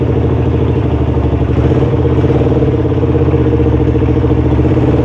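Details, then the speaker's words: Suzuki Satria FU (Thai model) carbureted single, unridden over a week, cold kick start in neutral with a weakening battery: steady quick putter with light mechanical clatter settling into an even idle; normal cold idle. "Ini udah netral. Coba kita engkol ya. Ini belum saya panasin teman-teman, udah seminggu lebih ya."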